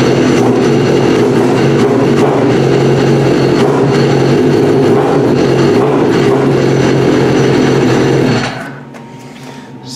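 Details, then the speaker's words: Trashed Yamaha RX-1 Mountain snowmobile with sensors disconnected and warning alerts showing: even, steady running about eight seconds then clean shutoff; no misfire or mechanical noise, seems to run pretty good. "i mean it does seem to run pretty good"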